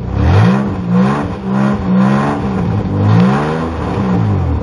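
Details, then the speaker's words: V6 car with both O2 sensors removed to relieve a suspected plugged catalytic converter, first start and revving: loud, raspy, open mower-like roar rising and falling as exhaust escapes through the open sensor ports. "and now your car is going to sound like a lawn mower really by the way if you have dual exhaust or two of these you need to take out both of them"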